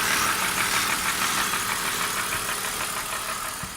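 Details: BMW E39 at idle: a light, fairly regular tapping, around three per second, that goes away when the oil filler cap is lifted. Cause not yet pinned down.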